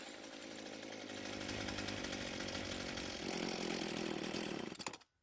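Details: Echo SRM 230 two-stroke trimmer after repair (correct ignition coil and new carburetor fitted): steady even buzz, holding speed cleanly without stumbling before cutting off; runs healthy.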